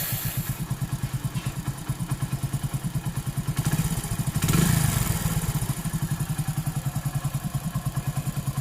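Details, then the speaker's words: Hero Honda 100cc motorcycle idling just after timing chain adjustment: even, steady thump with no cam chain rattle, sounding like a new timing chain fitted; normal idle. "Okay friends, చూసారు కదా ఎట్టుందో, కొత్త timing change చేసినట్టుగా ఉంది లోపల."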